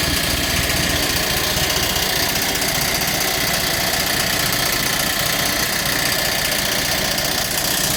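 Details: Massey Ferguson TEA20 tractor revived after sitting: steady busy running with an uneven light rattle over the engine note; noise first blamed on the water pump was actually the fan blades striking the radiator shroud; water pump slightly noisy but acceptable.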